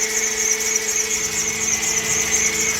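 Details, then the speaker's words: Car with a replacement engine fitted about a month earlier, temperature needle climbing toward H: idles under a steady high-pitched whine and shrill squeal; unidentified engine noise, mechanic suspects wrong PCM, not confirmed. "all right guys y'all hold tight let's get in the shop oh righty guys I have no idea what that noise"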